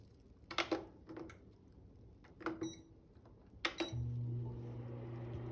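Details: Cuisinart digital air fryer toaster oven: after a few clunks of handling, a steady low fan motor hum runs loudly for about 45 seconds when cold, then stops being loud once warmed up; cause unknown.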